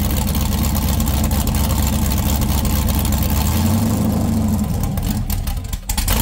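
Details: 6.0L LS V8 with stripped 2000 Silverado harness, after straightening a dipstick the crankshaft had been hitting: smooth even rumble picking up cleanly when revved and settling back with no ticks or knocks; engine healthy.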